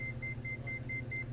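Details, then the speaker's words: Diamond DA42 twin on climb-out during simulated engine failure: rapid high beeping, four to five per second, over engine drone; landing gear warning because one throttle was reduced below 20% load with gear not down. "as one of the throttles is reduced below 20 load the gear is not down so the aircraft automatically produces a gear warning sound which is that beeping you can hear"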